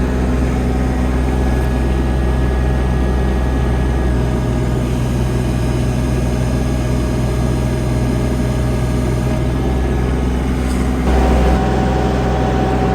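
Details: Dx27 excavator diesel after full service, running while hydraulic pump pressures are checked (about 230 and 233–235 bar): steady, deep drone holding even speed with no knocks or surging; engine healthy under hydraulic load.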